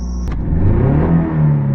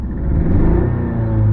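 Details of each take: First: 1985 Toyota MR2 petrol engine after fixing a cylinder misfire: it revs cleanly twice from a slightly high idle, with smooth acceleration and no hesitation or misfire. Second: 1985 Toyota MR2 with a suspected cylinder misfire, sluggish acceleration and very high idle: a low-rpm throttle blip gives a low, uneven sputtering, sneezing rumble that smooths toward higher rpm.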